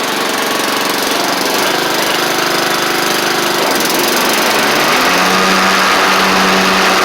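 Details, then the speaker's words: Troy-Bilt Pony mower swapped from Powermore engine to Briggs & Stratton flathead, running and driving after repair; steady single-cylinder drone, pitch rising slightly as it pulls away, no knocks or misses. Normal running. "I'll Crank It Up and just drive up and down a little bit for y'all just to show you that it's running and driving like like it's supposed to"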